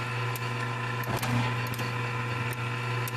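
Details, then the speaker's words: Tempeff RG-series unit maintenance, damper motor run via motor test switch: damper rotating continuously, steady low unit hum with light ticks as blades close; no binding or scraping, normal damper operation. "So what we see is the damper rotating continuously. You should hear the damper blades closing."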